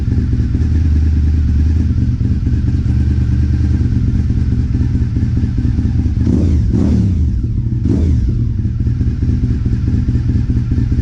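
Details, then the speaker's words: Honda RC51 V-twin, first run after rear cylinder reassembly with a threadsert for an ejected spark plug, not run for almost a year and no coolant yet: deep, steady idle with even pops and short blips, no knock or misfire. "sounds good sounds like it's popping a little bit like of course it's been almost a year"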